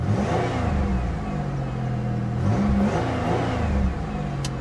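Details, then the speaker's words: 1980s Pontiac Firebird with 241,000 miles, abandoned at auction, transmission suspected bad: engine revs up and settles repeatedly, smooth and even with no knock or miss; tired old motor that runs decently. "241 000 miles on the odometer are you kidding me it actually runs decent listen to that"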